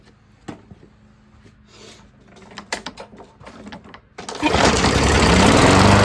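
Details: Discarded Craftsman push mower, Briggs & Stratton 5.5 hp, no throttle lever, premium fuel, primed, air filter off: pull-cord rattles and sputters, then catches and settles into a full even roar with no misses after revival.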